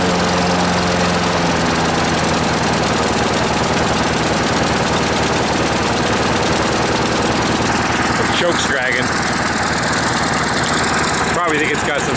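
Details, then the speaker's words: Small engine running on choke, bogging and failing to rev up; a rough, laboured sound. Owner suspects debris on the governor under the shroud is stopping it revving. "so it's running with the choke that you hear it bogging I have a feel I'm going to pull this the Shroud off of here we'll find a bunch of debris on the governor that's causing it not to rev up"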